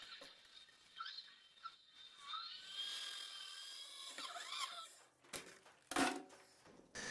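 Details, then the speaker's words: ZMZ-523 V8 carbureted engine rebuild, cylinder head valve lapping: high chirping squeaks rising and falling as valve is twisted, signalling the seat is fully lapped. "You could hear that the squeaking had started which means the seat has been finished."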